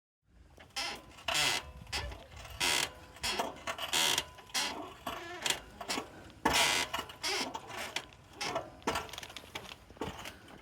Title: ロイヤルエンフィールドヒマラヤ 異音解消 Himalayan 411 swing arm squeak fix